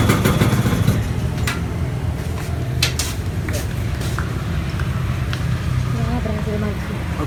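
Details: Two-stroke motorcycle (Poswan/VJR) just fitted with an RC CDI and rewired: catches and settles into a steady, even burble with a clean regular beat, no misses; normal running.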